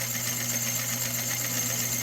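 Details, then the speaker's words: 1970s Rowe AMI jukebox under repair, with the selector contact pushed by hand: steady motor hum under light, even mechanical chatter as the drum turns and picks a record; normal record selection cycle. "contact right here, it does go ahead and starts turning the drum like it should, and it will indeed pick a record."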